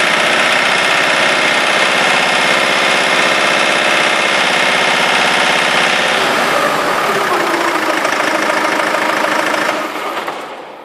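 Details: Rover 45 2.0 D saloon, 101 hp diesel, at idle: quick, fairly even tick about four times a second over the diesel clatter, heard for some days, owner thinks from the engine; abnormal noise, cause unknown.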